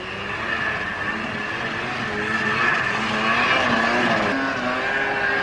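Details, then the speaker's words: 1997 Yamaha VMAX 500 two-stroke snowmobile after top-end rebuild (had coolant bubbling, swollen coolant lines) on a hill ride. Crisp high-pitched scream holding steady under throttle with track noise; "ripping just right", pulls cleanly, healthy. "It sounds all right. Sounds like she's ripping just right. Sounds like a screaming demon. You need to wear earmuffs in this one."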